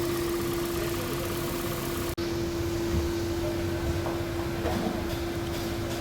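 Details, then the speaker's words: Toyota Prius in for heat warning, misfire and coolant loss, after repair: smooth settled idle near 78° coolant, no misfire shown, water pump speed 27 against target 23; steady low even drone, no stumbles, normal. "कोई misfire नहीं है और जो target है वो 23 है और जो स्पीड इसकी आ रही है पंप की वो आ रही है 27 और ये स्टेशन आरपीएम है"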